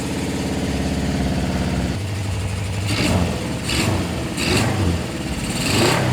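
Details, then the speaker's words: 1974 Honda CB750 four-cylinder after carb adjustment, in neutral: even, steady idle rising into several clean revs and settling back with no misses; running beautifully, no fuel or oil leaking. "Probably go neutral. Running beautifully. Yeah."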